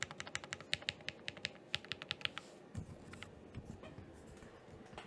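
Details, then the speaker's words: Finished Thera 75 keyboard, Zaku linear switches, GMK Laser keycaps, after stabilizer fixing: crisp, even keystrokes about three per second, no rattle or clack from long keys; stabilizers sound clean, normal typing. "there we are it is finished a little bit more of a sound test real quick"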